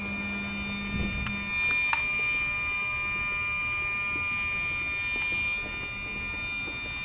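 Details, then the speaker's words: Mercedes SL600 Egas (electronic throttle) module on bench test, ignition switched on: steady faint high-pitched electrical hum as the throttle actuator powers up; normal, unit and computer work. "So I'm going to put on the ignition. Here we have this humming sound."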